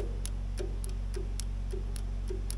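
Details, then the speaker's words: Allis Chalmers 3500A diesel military generator that sat for many years, fuel shutoff solenoid in the injection pump just rewired with a new ground: light regular clicking about three a second over a low hum, solenoid working normally. "yeah, I can hear it clicking in there just fine."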